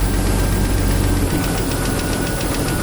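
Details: Jeep YJ 4.0 petrol idling with a light, fast tick; oil pressure over 3 bar with new oil filter, up to 5 bar on throttle; owner suspects the exhaust manifold gasket side, where it gets louder; cause undetermined.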